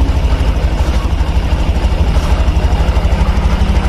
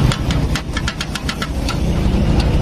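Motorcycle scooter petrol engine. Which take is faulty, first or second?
second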